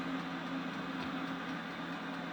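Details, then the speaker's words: Diesel heater with an upgraded 0.028 ml fuel pump, about 10 minutes after start with Alpine mode switched off: a steady roar with quick pump ticks as the pump speeds up; exchanger temperature rising from 174 to 178, running normally. "pump stroke has immediately gone up in speed quite fast and the exchanger is beginning to rise in temperature"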